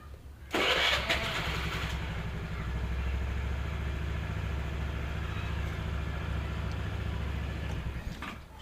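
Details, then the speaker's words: 2012 Honda Vario 110 carburetted scooter: loud, harsh starter crank for about a second, lacking the ACG starter of newer Honda automatics, then a steady even idle. Normal for this model. "kemudian klemens lainnya dari motor ini yaitu ketika distarter suaranya itu Hai aku merasa kenceng challenge tidak halus tidak halus seperti Hai matic matic zaman sekarang"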